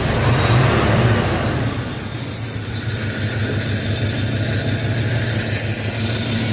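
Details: Box Chevy Caprice Brougham V8 with Edelbrock carburetor, previously popping from exhaust; cause was the spark plug wires, no timing or carb screw adjustment; now a steady, even idle with no pops or backfires.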